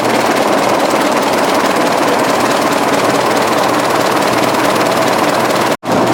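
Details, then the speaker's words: 1920s General Electric 45 hp genset at Coolspring Engine Museum, first run in over 10 years after servicing, running steady with even rapid chugging, no knocks or misses; intake frosting at 65°F ambient; pretty healthy sound, normal running. "oh loosen it pretty healthy sound thank you"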